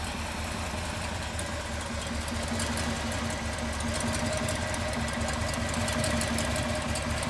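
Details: Ford 390FE V8 running on a run stand after swapping valve covers to add the PCV system. Smooth, level idle with no knocks or ticks, running healthy.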